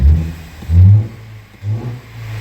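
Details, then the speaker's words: 2016 Ford Flex 2.0L EcoBoost, codes P0012 P0015 P0017, throttle snap test: loud hollow deep whoosh swelling and fading with revs, engine nearly stalls; intercooler-to-intake pipe disconnected, intake air leak. "you hear how loud that thing is foreign no oh it's gonna die now you don't have to work doing this 17 years to know there's some kind of issue and that noise isn't normal"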